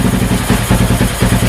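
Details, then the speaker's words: Honda Wave with a CBR300 engine, fuel value in the ECU tune lowered to 21: lazy, lumpy idle with firing pulses around nine a second, noticeably slow; slow idle from the reduced fuel map setting. "เห็นมั้ยเดินเบาช้าเลยแล้วก็ใส่เป็น22"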